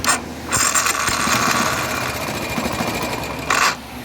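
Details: 2018 Yamaha XTZ 150 Crosser: harsh metallic grinding as the starter engages and briefly at shutdown. The mechanic suspects worn rear starter bushings; the caption blames the starter gear rack.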